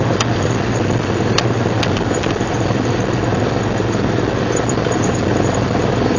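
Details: 1999 Jeep Cherokee XJ, 6.5in lift, Dana 30 front axle: steady rough grinding rumble, no clear rhythm, from front only in 4WD Hi and Lo, worst under load uphill; persists after new axle and driveshaft U-joints and rebuilt differential; cause unknown.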